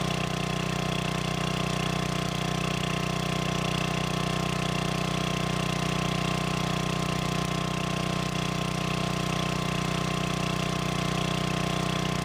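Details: Old free generator, long unused, after adding gas and freeing stuck governor: steady, even drone at one fixed speed, no hunting or surging; voltage output in proper range; normal governed idle.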